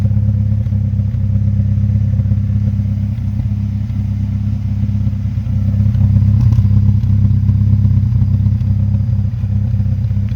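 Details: Mazda Speed3: a deep idle rumble swells and dips slightly instead of staying even, a mildly rough idle whose cause is still being pinpointed.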